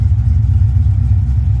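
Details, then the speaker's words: 1982 Ford Mustang GT, rebuilt 310 cu in (302 bored 60 over), recorded from inside the car with the old generic chambered mufflers; deep steady droning rumble, insane bass and vibration washing out the camera microphone. "It actually sounds like they're super quiet cuz it just it's completely washing out uh the microphone on this camera inside the car. Just insane amounts of ba bass and vibration."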